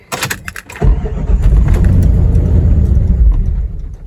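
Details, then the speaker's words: 1997 Jeep Grand Cherokee with alarm issues after a rear hatch change, rear plug unplugged: starter cranks, engine catches and runs rough for a few seconds, then shuts off, with the relay still clicking; the immobilizer/alarm is suspected. "again it uh it'll start it'll run for a few seconds and it'll shut off again"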